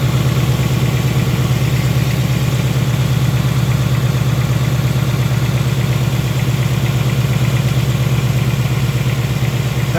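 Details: New 2018 Ford Mustang GT, Gen 3 Coyote V8, on a dealer lot: steady idle with a faint, quick, even valvetrain-type tick on top; owner believes the tick is normal for this engine, cause not pinned down.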